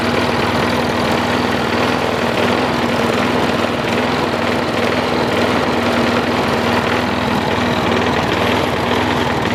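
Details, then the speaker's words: Troy-Bilt Tough Cut 220 21-inch self-propelled mower, bought non-running, now running after straightening a possibly pinched fuel line. Strong, steady, even single-cylinder speed with no misses, surging or knocking: normal running. "So it ran out dry, which is good. It ran pretty strong. I mowed around the backyard a little bit, played with it,"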